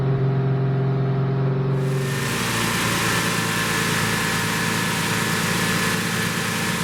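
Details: 1972 Plymouth Roadrunner 383 Magnum V8, first start after sitting 15+ months unrun, during cam break-in, restarted after resealing a leak with gasket and RTV: smooth, steady raised-idle rumble, even beat, no knocks or misses; normal fast idle.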